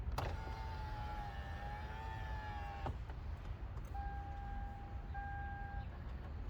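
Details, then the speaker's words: 2010 Toyota Camry XLE driver door power window after removing door panel to find a noise and tightening everything: two clean runs of steady motor hum with soft glass-seal swish; window operates normally. "all I hear is the glass oil like you know which is makes the seal"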